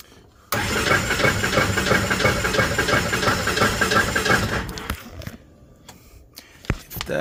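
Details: 2008 Polaris RZR 800 no-start, battery on booster pack, fuel gauge showing empty: steady starter cranking about three beats a second for four seconds, never catches; weak compression.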